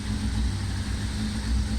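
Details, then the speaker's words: 1999 Kawasaki ZX-6R with cleaned carburetor refitted and mixture screws adjusted, very cold day: steady, even idle around 800 rpm, no misses or hunting; running nicely. "about 800 rpm and the it's very it's very cold day i'm happy with how things are going"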